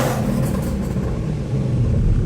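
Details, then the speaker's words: 1978 Scirocco with a VR6 24v engine swap, running after electrical fixes (ground, buzzing relay), possibly flames from the exhaust; deep, steady, smooth rumble with a slight rise in revs and no knocks or misses; normal running. "Anyway, holy crap, right? Is that thing running well now or what?"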